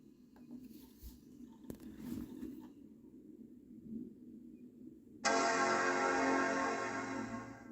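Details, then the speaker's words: Old Macintosh PowerBook from eBay rebooted: after a few quiet seconds a single rich chord fades over about two seconds, the normal Mac startup chime. "just cuz I know that that's what some people are here for that's the uh post iMac chime so nothing too special or anything like that"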